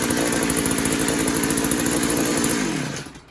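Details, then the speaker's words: Posthole digger two-stroke engine just after carburetor install, test run: high buzzy steady pitch with even firing for a few seconds, then winds down cleanly at shutoff; runs well. "Well, seems like it runs pretty good."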